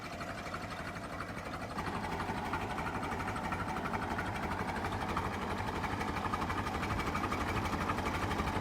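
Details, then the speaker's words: Late-1955 Farmall Super MTA diesel tractor, about 200–300 hours, idling very slowly at about 350–400 rpm: slow, even chuffing about three beats per second, smooth and regular like a sewing machine; normal healthy idle. "gotta love the sound of that. Look at that, just barely turning over."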